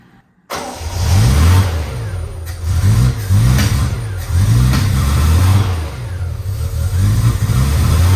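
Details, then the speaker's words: 1972 Triumph TR6 that previously idled at 200–300 rpm and died, timing reset to 2° BTDC: engine catches and revs smoothly and evenly on all four cylinders with no clunking or rod knock. Normal running. "it sounds really good at least no clunking because I was expecting to hear a road knock or something"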